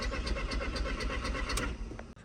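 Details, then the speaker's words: Mk1 Audi TT, 180 BAM engine, quattro, bought non-starting with no clocks: starter churns in a quick even rhythm, about four beats a second, never catches; crank no start, owner suspects immobiliser issue. "It's got one more problem: it won't start. There's no clocks, but it just does this every time it's trying to start."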